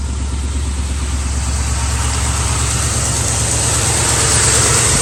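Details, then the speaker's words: Carbureted Ford Mustang V8 idling at night: slight uneven tremble and jumpy beat, one cylinder dropping out as a driver-side spark plug wire arcs to ground, causing the misfire. "little tremble when it's idling so figure that out"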